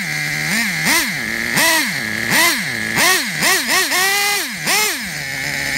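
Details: Traxxas Revo 3.3 nitro RC truck engine, retuned: quick high-pitched revs rising and falling cleanly on each throttle blip, no stumbling or bogging; healthy. Engine good; transmission, stripped spur gear, starter motor and one-way bearing need replacing.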